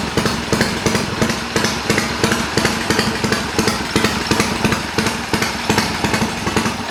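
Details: Triumph bobber build, cold after several hours off, ridden a couple hundred miles, carb needle drop and head bolt retorque planned: loping regular beat about three pulses a second, even with no knocks or misses; healthy idle.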